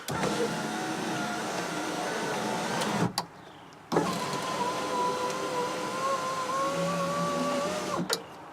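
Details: 2003 Chevrolet Monte Carlo SS power window after regulator replacement (the old one dropped the window with clicking): smooth, steady motor hum through each full travel, stopping cleanly with no grinding or clicking.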